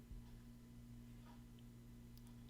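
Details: 2015 Volvo XC60 3.0T six-cylinder turbo, about 43,000 miles, cold start with high rpm: steady idle hum with light fast ticking from cracked exhaust manifold leak; tick stops once warmed up, possible manifold material failure.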